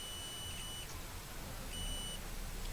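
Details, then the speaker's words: Mobile phone board (dead-short fault) tested with a multimeter across the supply: two clear high continuity beeps, indicating a dead short on the board. "আপনারা দেখেন আমি মোবাইলটা এখানে check করতেছি beep শুনতে পাচ্ছেন নিশ্চয়ই এটি শর্টের বিপ ফুল"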